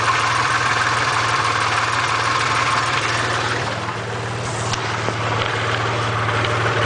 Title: Lifter tick? Part 2